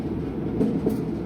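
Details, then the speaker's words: Amana dryer test run after motor pulley replacement (part 8066184): steady rolling rumble with light rhythmic clatter, no squeal or scrape; drum spinning normally. "So now we want to give it a test run. Testing. Hit your settings, hit your start button. Sounds like it's spinning to me."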